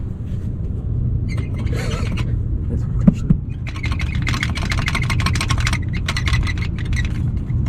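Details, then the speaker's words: 2022 Toyota 4Runner: loose front splash guard shaken, low rumble with bursts of fast, dry plastic rattling; this rattle is heard in the front seats like a dashboard noise, fixed by modifying the splash guard. "is the exact noise that we hear from the inside It gets really interesting because the noise is actually happening from here, but you can clearly hear it in the front seats"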